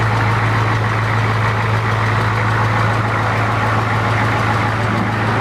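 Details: 1992 Ford 7.3 IDI naturally aspirated diesel, rebuilt engine on first start: deep idle with faint uneven knock; knock disappeared after old cleaned injectors were replaced with new ones, though tight piston-to-head clearance was also suspected.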